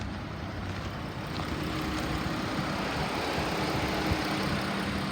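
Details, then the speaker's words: 2015 Dodge Grand Caravan ex-police, 3.6 L V6, 90,000 original miles, running on jump box due to suspected bad alternator: steady, even idle with smooth low hum, no knocks or ticks; engine sounds healthy. "the motor sounds good I'll show you the miles 90 000 original miles"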